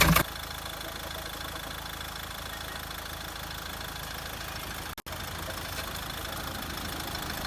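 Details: Mahindra XUV500 diesel before full engine overhaul; steady idle with busy, rattly clatter and no single clear knock; abnormal engine noise that led to rebuild of pistons, rings, bearings, cylinder head and valves.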